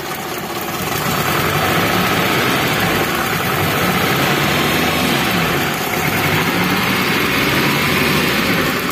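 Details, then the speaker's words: Daihatsu Zebra Espass engine revved with one spark plug lead deliberately pulled: an uneven, lumpy, helicopter-like chop that won't rev freely. Misfire from the disconnected plug lead, a sign of a bad plug or lead. "jadi suaranya itu dia enggak ngelos teman-teman kalau susah kita gas kayak ada brebet-brebet-brebet gitu"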